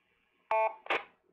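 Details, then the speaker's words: AllStar node on Raspberry Pi with TYT radio on simplex into dummy load: short steady keypad DTMF tone, then brief answering burst as radio transmits back; node responding normally. "hey that's a good sign that means it's uh doing its thing if you watch the radio you'll see it's transmitting back out"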